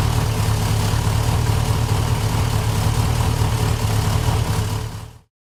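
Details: 1968 Rover P5B Coupe at first start after its wiring harness was replaced: deep, even V8 idle at a steady beat of about three pulses a second, with no misses or knocks. Oil pressure normal, alternator charging; a healthy idle.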